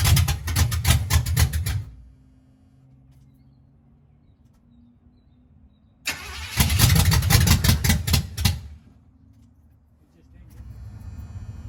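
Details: 1983 Chevrolet C10 small-block V8 with a 750 Quick Fuel carburetor and fuel poured to prime the pump: two bursts of steady starter churning, about two seconds each, never catches; crank no start, fuel pump not pulling fuel suspected.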